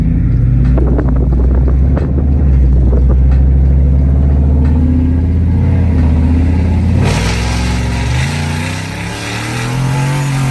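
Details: Single-turbo Gen3 5.0 Ford F150 after boost leak fix: deep V8 rumble climbing in pitch under hard throttle, then easing off with a smooth shift; boost builds cleanly under load.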